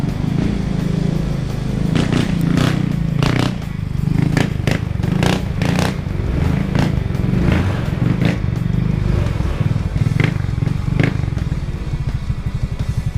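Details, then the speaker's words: Easyride 150N GY6 scooter after removing auto enricher (auto choke) for hard starting and fuel smell, cold start next morning: starts on one kick, steady even quiet putter with light ticks, about 1k rpm; normal idle. "oh umandar agad one kick lang one kick lang umandar na siya tapos ang lamig ng andar ni hindi masyadong maingay"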